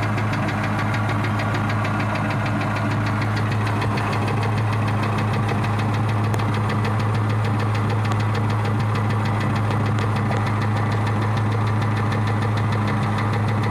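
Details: 2003 Mustang Cobra V8 at idle: quick steady ticking about three a second, much louder underneath as it echoed into the cats. Cause was a failing cam roller, from a clogged cat backing heat and carbon into the engine; cats since removed.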